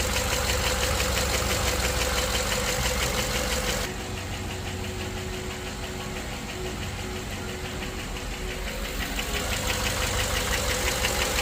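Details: GM LS V8 idling unevenly with steady tick about three times a second: misfire from a collapsed lifter, isolated by commanding the PCM to shut off individual cylinders.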